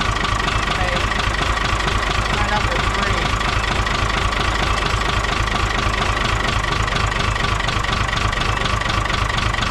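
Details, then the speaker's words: 1975 Chevy stepside with an Isuzu 6BB1 5.4L diesel and a home-rebuilt injection pump: lumpy idle with uneven knocks that don't change when one injector line is cracked. Cylinders 3 and 5 aren't firing; injectors suspected. "That does nothing. Number four. Yeah. So, number three and number five are not firing."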